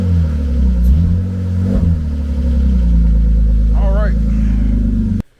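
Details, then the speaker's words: BMW E36 convertible six after cylinder head replacement and new header gaskets: a smooth, even idle with a clean rev blip and no misses or knocks, all six cylinders firing. Header smoke is thought to be old grease; check engine light still on. "All right, guys. Well, it runs, and it definitely sounds like it has 6 cylinders. Sounds nice and smooth."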